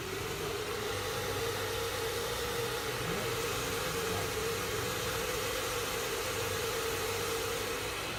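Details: PC graphics card cooler fan, worn and previously humming very loudly, running after re-lubrication: steady mid-pitched hum over airy hiss, no grinding or rattle.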